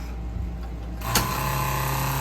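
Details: 1968 Plymouth Barracuda drag car after adding a return line with a Moroso fuel log, pressure set just under 6.5: pump clicks on to a steady, quieter even hum with less vibration than the earlier buzz; running normally.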